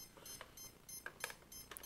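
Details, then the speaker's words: CX-20 quadcopter ESC with battery plugged in after rewriting a parameter: short high beeps repeating irregularly over a quiet room; still beeping, so the fix did not work; APM or ESC fault being diagnosed. "As you can tell, it's still beeping, so it sounds like we're most likely not going to fix this"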